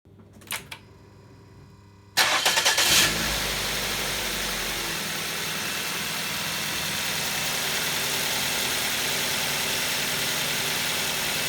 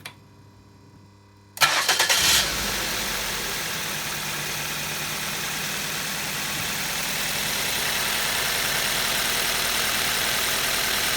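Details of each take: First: 2nd-generation Ford Focus (2011), 2-litre petrol engine with automatic transmission, cranked and settling into a smooth, even idle. Normal reference sound before the coil on cylinder 2 is disconnected to demonstrate misfire. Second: 2011 2nd-generation Ford Focus, 2.0 petrol, automatic, idling with cylinder 2 ignition coil disconnected to demonstrate misfire: uneven, slightly lumpy idle from one dead cylinder.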